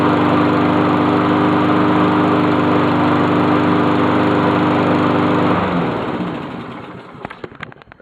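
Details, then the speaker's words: Honda lawn mower just reassembled, running from a true cold start: fast, even beat around four per second, smooth and steady until shut-off; healthy. "She sure as hell sounds good."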